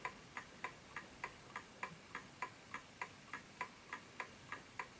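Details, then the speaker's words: Smiths Enfield oak pendulum mantel clock after nudging the case level: crisp ticks about every third of a second, tick and tock matching; clock in beat and running healthy. "So it has to be a perfect ticking clock, because that's when it's found. There we go. That's the sound. Perfect."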